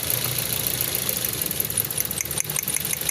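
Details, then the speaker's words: Car misfiring at idle even though the coils test good and the spark plugs were changed and swapped. The idle is uneven and stumbling with a lumpy beat and the engine vibrating. The main fault was traced to a fuel injector. "اس کا جو مین مسئلہ ہے نا وہ اس کے انجیکٹروں کا مسئلہ ہے یہ دیکھیں یہ اب وائیبریٹ کرے گا انجن"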